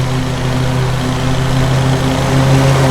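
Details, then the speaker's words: Old Cub Cadet 1641 garden tractor after carburetor cleaning and fuel change, earlier suspected fuel pump and lean backfiring; now steady, even beat with deep low note likened to a 350 Chevy, no knocks or misses, running properly. "Man, that old mower has kind of a cool note. Almost sounds like a frickin' 350 Chevy."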